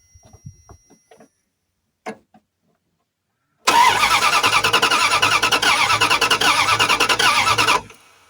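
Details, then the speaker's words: Junked Dodge Dakota sat in a junkyard, turns over only in neutral: starter spins evenly about three turns a second for four seconds, never fires, no fuel pump hum; owner suspects a bad fuel pump. "So, the good news is it turns over."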